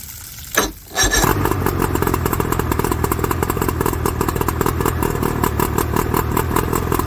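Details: 1981 Johnson 50 hp outboard that overheated after an Amazon water pump kit, running after coil wiring to cylinders was corrected: catches after a short crank into a steady even two-stroke buzz with no misses.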